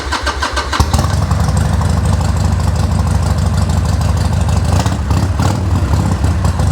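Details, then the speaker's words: Harley Sportster 1200 on choke, just re-jetted without removing the carburetor. Starter catches and a strong, loping twin idle settles in, steady and even with no knocks or misses; running healthy. "Man, this thing sounds so good. Man."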